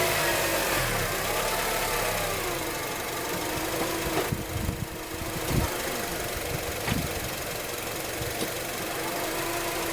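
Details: 2004 Acura TSX automatic, about 138K miles: wavering mid-pitched whine/whirring over the running engine, suspected transmission, commenters suggest torque converter; no shifting issues or warning lights, persisted to 206K.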